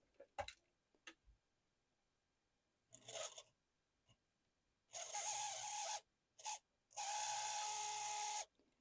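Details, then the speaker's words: Vintage Varney F2 HO scale locomotive motor on test with a blue box controller: short bursts of harsh, high-pitched, scratchy whirring; the motor sounds dry and is given a drop of oil. "Sounds like it needs oil. So, I will give it just a little tap of oil. See if that makes it any better."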